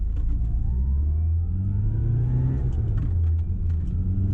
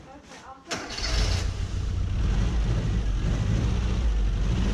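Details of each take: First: 1990 Mini ERA Turbo (head gasket replaced) on a road test: steady, deep engine drone pulling evenly under load with no knocks, misses or rattles. The engine sounds healthy. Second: 1990 Mini ERA Turbo cold start: short crank, then a deep idle with an uneven, lumpy beat that smooths once warm. Owner suspects a leaky exhaust valve.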